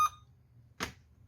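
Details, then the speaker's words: Dell 3421 laptop (i3, 2GB RAM, two slots) with no display: a short high-pitched beep then a brief rasp, no fan or drive noise; technician suspects a memory fault, also notes a damaged, possibly shorted USB pin. "ഇങ്ങനെ B പഠിച്ചുകൊണ്ടിരിക്കുകയാണ്. Memory issue ആയിരിക്കും തോന്നുന്നു."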